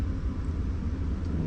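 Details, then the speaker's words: 2015 Toyota with code P0705, no crank no start, caused by the selector switch: steady low rumble at idle, even and smooth with no knocks, misses or stumbles; normal idle. "अल्हम्दुलिल्लाह गाड़ी भी जो है start हो गई है सिर्फ lateral सच का मसला था और उसके अलावा जो है कोई भी मसला नहीं"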